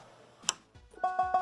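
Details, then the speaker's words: Lowrey L2 organ after bypassing a faulty solder joint with alligator-clip jumper: repeat tab producing quick evenly spaced notes about six per second, clean and steady; repeat function working. "I don't know about how about that repeat tab that wasn't working, so let's check this out."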